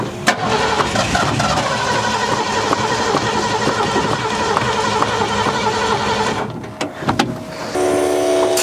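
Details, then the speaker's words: 1972 Ford F100, unrun over 10 years: cranks steadily about six seconds without firing; pressure felt in the hose but no fuel reaching the carburetor, owner suspects accelerator pump or closed-off float bowls. "All right, we're just not getting fuel to the carburetor, I don't think. I can feel pressure in the hose, but we're just not getting any fuel in there."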